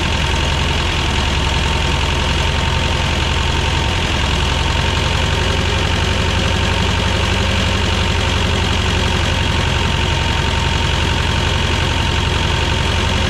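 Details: 1985 Belarus 250AS diesel tractor, revived after sitting 8–10 years: steady even clatter, settled idle, no misses or stumbles; running normally.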